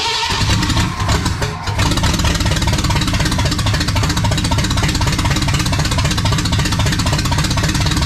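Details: Restored 1979 Ford F100 with a brand new engine on first fire: a brief stumble, then the V8 catches and runs with a strong, even low rumble, sounding healthy.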